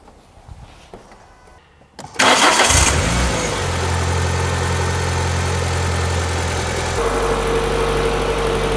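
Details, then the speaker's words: Renault Clio 182 left sitting for years, after exhaust, plugs and filter work, started to check whether an earlier rattle is gone: clean start, flare, then a smooth even idle with no rattle. Sounds healthy. "that sounds all right to me foreign that sounds mint"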